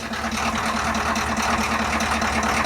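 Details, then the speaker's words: Ford F350's cold International diesel, which is burning oil: a lumpy, uneven idle with irregular pulsing clatter, possibly one cylinder misfiring. The owner suspects a bad injector causes the sound, unconfirmed, and doesn't trust the engine. "I don't trust it at all. I'm not gonna rely on it. It just sounds nasty. Yeah, I think actually it might just be a bad injector that's making it sound like that."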